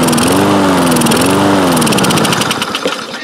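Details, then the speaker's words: Toro Recycler mower with Kohler engine after carburetor rebuild: speed rises and falls in slow waves; improves when throttle is held open or choke forced closed, so owner suspects it's not getting enough fuel (lean). "you see it's running of course and but surging and it improves when I either a hold the throttle open or close the choke plate forcibly close the choke plate so it sounds to me like it's not getting enough fuel"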